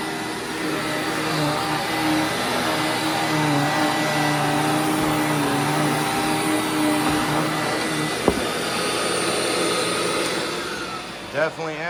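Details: Hoover Windtunnel Widepath vacuum after brush roller bearing replacement, running on a rug: steady, even motor roar with smooth beater hum, no rumble or squeal, agitating better and smoother than before; possible slight motor bearing noise doubted.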